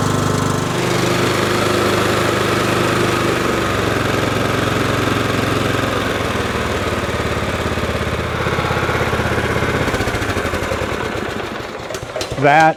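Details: 20+ year old John Deere L110 lawn tractor, after reseating spark plug boot: single-cylinder runs at steady, even beat about twelve seconds then shuts off; healthy, no misses or knocks, idles well and throttles up fine.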